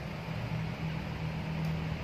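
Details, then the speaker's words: Cosmos electric fan, dead motor, live wire jumpered to capacitor wire: steady low hum with even airy rush, no clicks or scraping; now spins clockwise correctly, normal running. "Nah, ini putarannya sudah benar. Untuk putaran yang benar itu adalah searah jarum jam ya."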